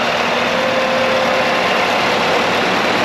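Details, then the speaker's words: V8 Chevrolet Colorado at idle after a fix to the cooling fan, which had not sped up enough with the AC on. The fan gives a loud steady rush of air with a faint hum; the fan is running at full speed. "It's definitely moving more air, but it's not like, you know, cooking."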